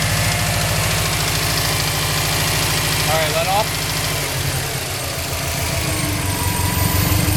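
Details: 2005 Subaru WRX engine at idle with a steady, fairly quick ticking knock, about three beats per second.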